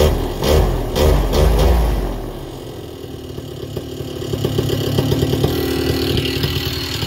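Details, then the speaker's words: Vittorazi Moster 185 paramotor two-stroke, already warm, low-speed needle leaned out: after a throttle blip RPM dips then slowly climbs back over a few seconds, sign of a too-lean low-speed mixture. "it's probably too lean on the low needle i just leaned it out we'll see how it starts"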